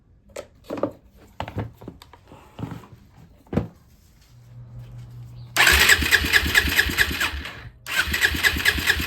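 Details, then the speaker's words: Suzuki LTZ 400 ATV (believed 2004), sat five years, first start with a newly installed, bent Chinese part: fast cranking catches into a busy single-cylinder idle that stays high. Owner suspects that Chinese part is not adjusted properly. "but I don't think it's an idle that is in an idle pretty high I'm guessing cuz that Chinese thing is not adjusted properly"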